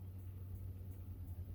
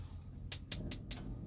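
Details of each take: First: Motorhome fridge running on gas: a soft whoomph as the igniter lights the burner, then light even ticking about three per second over a low hum; normal ignition, and ticking after it has been running suggests the gas has run out. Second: Motorhome gas hob with little gas left in the bottles: four sharp high igniter ticks about a fifth of a second apart, no flame catching; they suspect the gas just needed to prime through.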